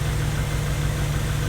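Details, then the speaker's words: Honda Civic freshly rebuilt D16Y8 engine, idling after first start before revs: steady low rumble with even firing pulses, no knocks or ticks; idles smoothly and sounds healthy, normal idle. "Everything sounds good. I'm gonna let it run for a while. Just let it idle like this, give it a few revs, and then later on I'll just turn it down."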